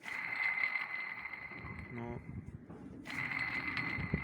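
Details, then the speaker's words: Opel Astra H 1.3 CDTI old water pump, removed after 4 years and spun by hand, gives a steady high-pitched hum from a worn bearing with play; the pump had been leaking, and the noise is not heard with the engine running. "Вот это гул пошел со старой помпы. Вот так вот"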